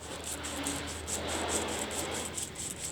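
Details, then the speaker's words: Old bearing from an M32 gearbox spun by hand giving a dry gritty rasp; pitted, dull races with play, causing gearbox whine and gearstick movement; bearings being replaced in recondition. "noisy as well and comparison to the timkin one which is as bad sit dear baron see all the movement"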